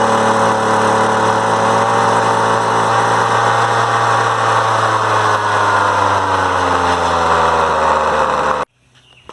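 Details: Poulan Pro PP333 weed eater that had stopped running, after fuel filter attached and air filter housing reassembled: small two-stroke buzzes at a high, steady pitch without stumbles, then cuts off cleanly; running strong.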